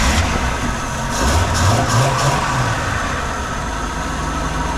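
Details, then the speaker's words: Original, apparently never-rebuilt 1953 Buick engine idling after the seized distributor was freed. Timing not yet set because no timing light is on hand, and it is a little hard to start. Idle slightly lumpy and uneven; timing off. "As you see, I'm not quite settled on the final timing yet, just because it is a little hard to start."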